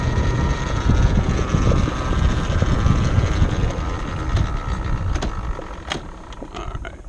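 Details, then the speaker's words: Banshee two-stroke with the throttle stop set near half for a midrange plug chop: uneven, fluttery blubber hangs at one speed and won't pull through without more throttle, heard with wind noise. Owner thinks it sounds rich; midrange stumble. "Alright, so I'm sure y'all can hear that issue. It's just like it gets to that point and can't pass it unless you throttle it more."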